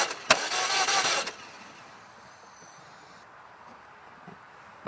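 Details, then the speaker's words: 2000 Saturn LS, believed 2.2 four-cylinder, in Michigan snow: about a second of cranking, brief uneven sputtering catch, then it dies; no-start for a week with fully charged battery, quarter tank, fuel filter replaced, cause unknown. "it chokes and sputters it goes it sounds like a llama goes and then it dies down and starts over"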